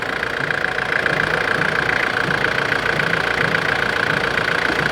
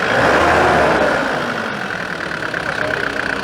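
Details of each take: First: 1993 Nissan Terrano diesel with a hard-starting complaint, now running after repair; steady diesel clatter at an even idle, no stumbling or hunting, light healthy knock. Normal diesel idle. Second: 1993 Nissan Terrano diesel being repaired for hard starting: a rough, slow idle whose beat sags and weakens; the idle is set too low, so it dies off throttle.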